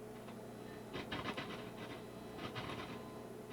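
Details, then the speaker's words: Acoustic Control 260 amp head, bias set about 0.59 A, after re-soldering cold joints: irregular scratchy crackling over a quiet hum from the volume preamp when the control is turned. Suspected joints still needing resoldering; unconfirmed. "chances are these just need a bunch of resoldering joints you can hear that hear that grounding that noise"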